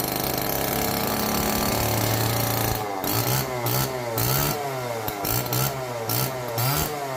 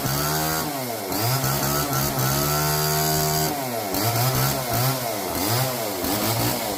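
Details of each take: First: Old neglected Homelite chainsaw, previously seized and left outdoors, first start on fresh race-fuel mix without bar and chain: buzzy two-stroke note holding steady, blipping up and down with throttle cleanly; running healthy. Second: Old neglected Homelite chainsaw revived from seized, now with bar, oil and loosened chain, cutting kindling: revs surge up and fall back repeatedly, never settle to idle; runs rough, could use tuning, cause unconfirmed.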